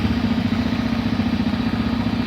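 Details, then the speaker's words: Janus Halcyon 450 single-cylinder motorcycle, first start in neutral with key on and side stand up, no throttle: steady, even putter at idle with a firm low thump and no stumbles or odd knocks; normal. "And the bike should start right up."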